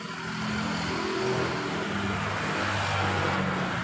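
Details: Honda scooter (Vario/Beat/Scoopy/Genio type) after setting the air screw to 3.5 turns out to restore idling stop: engine picks up in a short blip and holds an even, clean note with no stumbles or misses; normal rev.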